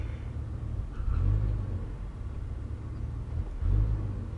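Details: 1996 Jeep Grand Cherokee 4.0 inline-six with new distributor, coil, plugs, crank sensor, newish wires, rear O2 sensor missing: two uneven throttle blips that swell without a clean rise in revs; random misfire, stumble and hesitation on tip-in.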